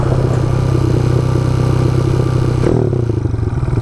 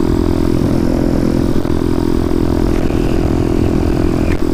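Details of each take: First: Motorcycle with a new battery fitted: engine holds a fast, busy idle that won't settle; the throttle is sticking open and not returning to idle. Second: Motorcycle with 34mm carburetor, adjusted out a full turn from start, cruising steady at 42 mph: even drone with no pops, misses or stumbles; carburetion now smooth after tuning.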